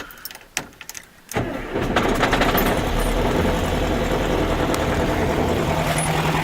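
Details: Air-cooled VW flat-four (a 1972 Super Beetle or a 1971 Karmann Ghia), after no-start troubleshooting: a few cranking bursts, then a steady, even, clattery idle, a normal start.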